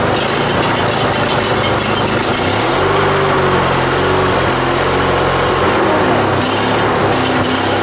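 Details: Riding mower, started after starting fluid was sprayed into the intake and the air filter refitted: fires after a few seconds and settles into a steady, even thump over a noisy background. It runs normally.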